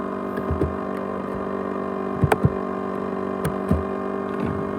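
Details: 500GB hard drive from an ASUS X543UA laptop, used as a USB drive: a steady jet-like droning hum with sharp clicks and rattles scattered through it. The drive runs abnormally loud; cause unknown.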